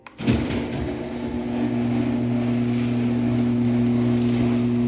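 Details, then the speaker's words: Old Genie Pro screw-drive garage door opener on a small door with a one-piece rail: a start-up clunk, then a smooth, even low drone with no grinding. Operation is normal and fairly quiet, apart from the light lens vibrating. "so it is a pretty quiet machine"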